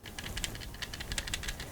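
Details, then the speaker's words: SCUF 4PS controller with Optic Gaming shell shaken, giving bursts of quick plastic clicks and rattles: buttons slightly loose from how they were replaced, though the controller works fine. "That rattling is because of the buttons are like a little bit loose because of how they replaced it."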